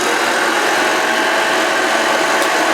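Steady, even whirring hiss with no rattles, surges or scraping; the motor and brush are running normally.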